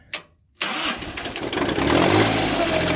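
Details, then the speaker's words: Three-cylinder diesel equipment, sat for months, started on glow plugs; cranks, catches and runs an uneven stumbling beat, owner suspects a couple of glow plugs are done — engine misfire on cold start. "almost like it's got a Miss cuz that's three cylinder and I think a couple that glow plugs are done"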